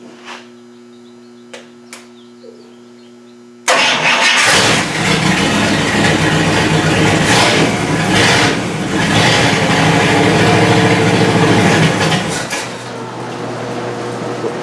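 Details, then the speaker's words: 1955 Buick after distributor gear replacement, static timed at 5 degrees, hot-wired with ballast resistor: cranks, catches and runs rough with uneven stumbling, hit-and-miss firing; ignition points still dirty, later cleaned and reset; misfire. "Apparently my points were still dirty. I didn't clean them good enough. And it was a hit and miss."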